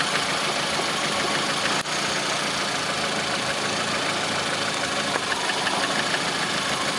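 Steady idle with a light, sharp ticking knock riding over the hum, keeping pace with the engine; a knock at idle. Cause suspected, not confirmed.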